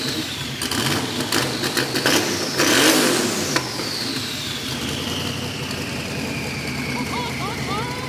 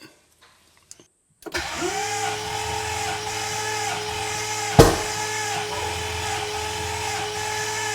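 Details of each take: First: Twin-turbo VK Calais V8 after injector and pushrod fixes, before its tune: loud blip up and clean fall with turbo whistle, no misfire or knock. Healthy running. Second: VK Calais, first start attempt: steady starter cranking that never fires. Seemingly no fuel, as injectors sat for ages with ethanol and did not click; pushrods were also an issue.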